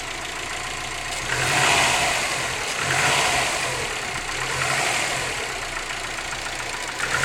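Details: Subaru WRX boxer engine on cold start, idling with a rapid, hollow knocking that rises and falls with light revs; piston slap suspected, not confirmed.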